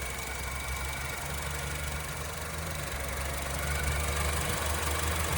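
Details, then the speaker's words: 2013 Honda Civic with about 136,000 miles, idling after the PCV valve was cleaned: low, even rumble with steady beat, no misses or rattles; smoother, normal idle. "I think this engine actually works smoother now after the PCV was cleaned."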